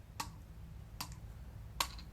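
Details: Blade 200 QX quadcopter brushless motor flicked by finger: three sharp, evenly spaced clicks about 0.8 s apart with no rattle between; this motor sounds healthy, unlike another motor on the same quad that rattles.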